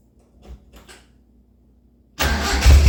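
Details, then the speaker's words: D50 truck at idle after fitting a homemade muffler in place of the cherry bomb; quick start, then a deep, steady idle rumble with no knocks or rattles. Sounds better, similar to before at idle. Normal idle. "I think it sounds better. I think it kind of sounds similar at idle."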